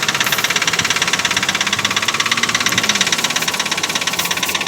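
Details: 2004 Nissan Pathfinder, engine showing 14,000, started after sitting about 2 hours to cool: a loud, regular metallic knock just under three per second over the running engine, continuing through revs; source of the bad knocking still unknown.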